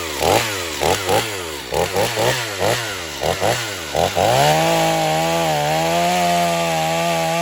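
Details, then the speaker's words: Stihl MS250 chainsaw test cutting wood after carb retune, tuned pretty rich for break-in; possibly slightly low compression but pulls with power; revs dip and recover as chain bites, then steady high run. "so we got the ms250 tested um I've got it tuned pretty rich and he's definitely going to have to bring it back a couple of times as it breaks"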